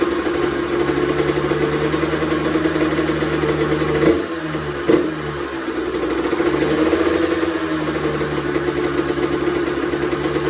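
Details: Honda CR125R two-stroke, first start after a full teardown and top-end rebuild: crisp buzz holding a steady idle, dipping briefly then picking back up evenly; healthy and running clean.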